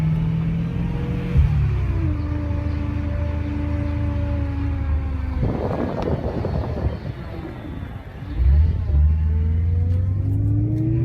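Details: BMW E92 M3 running: a thin whine over the engine, rising and falling with revs. Owner suspects power steering fluid or filter, not confirmed.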